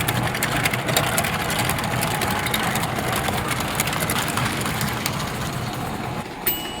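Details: 1955-57 American Flyer #372 Union Pacific GP7 motor on the bench before any field/armature adjustment: fast, even buzzing whir at steady speed with no catching, running very well.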